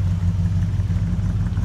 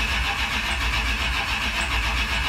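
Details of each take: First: Plymouth Roadrunner V8 idling: a low, even burble with a steady beat and no knocks or misses. The owner says it is purring along, a healthy normal idle. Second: Carbureted Roadrunner after sitting about 4–5 months, with fuel just hooked up temporarily while the trunk is being worked on. Long steady cranking with no catch, a pause, then it fires and runs on its own; fuel likely slow to reach the carburetor.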